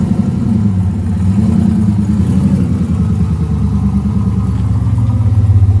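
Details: AWD turbo V8 race truck after new fuel injectors, warming up: deep, even burble holding steady with a slight rise in revs, no misfires or knocks; running better than ever, nearly ready for tuner/dyno.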